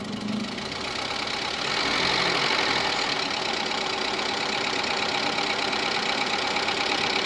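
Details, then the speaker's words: Petrol engine after rebuild for bent valves with new timing belt, tensioner and idler, first start: steady idle with faint quick ticking from emptied hydraulic lifters, expected to fade as oil fills: steady idle with slight hydraulic lifter tick. "motor gayet stabil bir şekilde çalıştı sesi çok az da olsa dediğim gibi itecek sesini duyuyoruz bu ses yağ doldukça tamamen azalma seviyesine gelecek"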